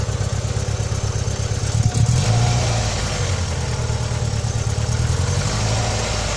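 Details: Opel Vectra B engine at idle: low idle with an uneven rumble and a slight wavering pulse of about three per second; abnormal engine noise, cause unclear.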